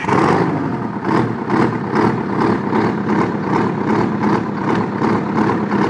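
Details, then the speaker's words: Detroit 8V71 two-stroke V8 diesel, old engine, blowing blue smoke; loud drone pulsing unevenly two to three times a second; feeling exhaust heat per cylinder (cold, heat, heat, cold) shows two dead cylinders. "I come over here, I feel cold, heat, heat, cold. Means I have two dead cylinders."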